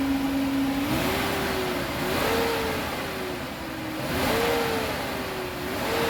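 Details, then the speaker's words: Nissan after refitting the throttle body and cam position sensor, running on petrol with the gas switch open: starts without trouble and revs up and settles smoothly with no stumble. "তো আলহামদুলিল্লাহ গাড়ি start হয়ে গেছে start হচ্ছে মূলত এখন এটার গ্যাসের যে সুইচটা সেটা খোলা আছে গাড়ির তেলে চলতেছে স্টারে কোন সমস্যা নাই"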